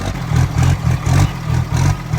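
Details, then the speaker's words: 1700 hp twin-turbo 3rd Gen Cummins drag truck after reconnecting the unplugged rail pressure sensor, third start: repeated quick revs about twice a second, deep and even with no misses or stumbling; running smoothly, way better than before. "Wow! That's way better. Way better. That's way better."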